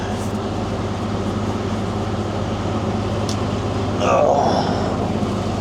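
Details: Reefer (fridge) unit on a truck's trailer just picked up in the morning: steady low diesel drone with an even hum underneath, no knocks or rattles; running normally.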